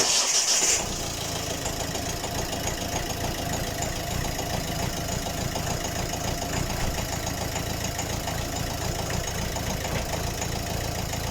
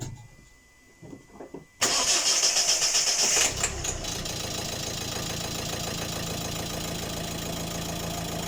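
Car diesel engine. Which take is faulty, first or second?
first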